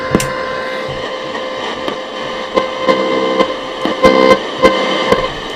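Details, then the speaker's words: Radio on the airband with its built-in aerial: steady whistling tones with scattered clicks and crackle and no voice traffic; only interference received. "picking up loads of interference from in the air"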